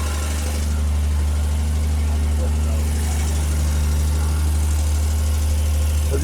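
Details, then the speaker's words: Ford Falcon engine. Deep, steady low rumble holding even throughout with no knocks or stumbles; normal idle. "y'all hear, she run"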